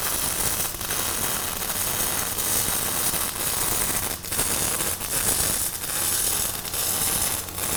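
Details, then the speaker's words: Fronius Fortis 270 MIG welding aluminum without push-pull or spool gun, inductance swept from 0 to 10: harsh crackling arc with irregular sharp pops and heavy spatter at low inductance before it smooths out. "There was like spatter like crazy and then all that went away and it was uh it smoothed out a whole lot."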